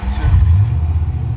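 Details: 1994 Ford F150 OBS after both fuel tanks were replaced and the fuel system was primed by cycling the pump: the V8 cranks, catches and settles into a steady low idle rumble with no misses or knocks, so fuel is getting through.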